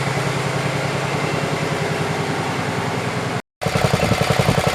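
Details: 1967 112 round-fender small engine after carburetor fitted and screws adjusted, two-stroke oil in fuel; steady even beat about three and a half pulses a second, no misses or knocks, some smoking; normal running.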